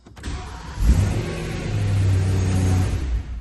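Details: BMW E92 M3 S65 V8 after starter motor replacement: catches quickly and pulls into a smooth, even rev that settles back cleanly with no grinding or chatter; starting and running healthy.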